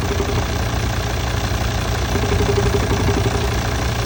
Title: Volvo xc90 d5 2008 engine knocking noise fix